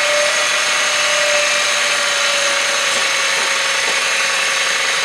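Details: 2001 Honda Insight at idle: a steady high whistle near 600 Hz rides over the engine, a whining accessory drive; owner suspects a bad idler pulley bearing, unconfirmed.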